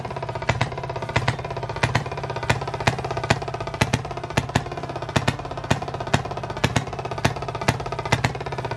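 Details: 1920s Maytag two-stroke hit-and-miss washing machine engine, reportedly rebuilt, first start after sitting 5+ years, run indoors to clear condensation: sharp firing cracks about two a second with uneven skipped beats; fires every revolution then flips to hit-and-miss, running well.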